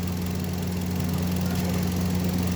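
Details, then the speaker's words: Hyundai Grand i10 (2025 model) idling after complete overhaul, earlier smoke now gone: steady even low hum with no misses, knocks or rattles; smooth and healthy. "Yun. Ganda. Yun, oh. Ganda ng andar, oh."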